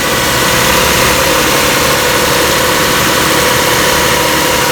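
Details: 2002 Toyota Camry V6 just after fitting an oil catch can, at idle: steady, even idle with a smooth airy rush and no hiss or whistle; no vacuum leak heard.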